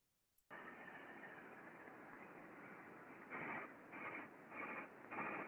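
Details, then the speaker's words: Slow-turning (about 4 RPM) bearing on a stand holding a big spool of flat-roofing material being pulled into a machine, heard by ultrasound: steady hiss with rough metallic scraping bursts about every 0.7 s, as the bearing moves in its housing and lacks lubrication. "like so you can hear quite clearly that kind of scraping metallic noise as it is turning so the bearing is actually moving in the housing um there's a lack of lubrication there just doesn't sound very healthy from a qualitative standpoint"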